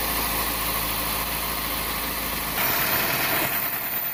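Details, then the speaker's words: 2000 Toyota Celica after exhaust manifold gasket replacement for a leak causing lean code P0171; even, steady idle with no puffing or ticking from the manifold, anti-seize burning off; normal idle. "So it's running off all the I put some never grease in there, so it's burning it off."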